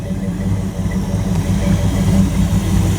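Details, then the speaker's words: 1929 Chrysler engine idling after tweaks and wiring work, before first long test drive; owner says the motor sounds really good now and the fan works. Low, loping, even idle with no knocks or misfires; normal idle. "It's all pretty good. Motor sounds really good now. I know the fan and everything works."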